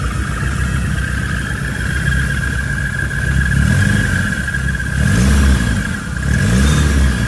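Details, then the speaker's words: Rebuilt VW Mk1 Rabbit petrol engine running after re-torquing bearing caps with oil pan off (cheap torque wrench blamed); smooth, even, steady low rumble with faint whine, no knocking or tapping; healthy running, owner still wary. "okay this is just amazing do I still trust it no but it's running"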